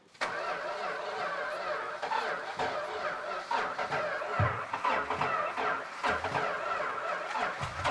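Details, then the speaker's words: Petty Blue Plymouth Superbird V8, V-code car missing its original six-pack, unrun about 40 years: ragged cranking catches into uneven, stumbling firing with irregular thumps while running on poured primer fuel; it runs but caught fire. "the good news it runs the bad news is it's on fire"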